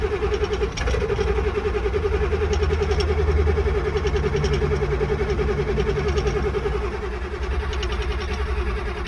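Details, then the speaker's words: 7.3 Power Stroke diesel truck, colder weather, unstarted about two weeks: long steady cranking at roughly three and a half strokes a second without catching after glow plugs cycled about three times. Hard cold start, cause suspected, not confirmed. "Sometimes you gotta cycle the key when it's a little bit colder outside and the truck hasn't been started in about 2 weeks. Just cycle it until wait to start turns off. It's heating up your glow plugs."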